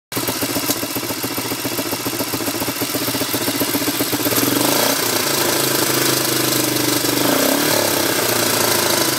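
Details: 1987 Honda ATC 250SX idling raggedly with a sharp metallic ticking; revving toward the top end brings metal pinging and knocking, cause unknown to owner.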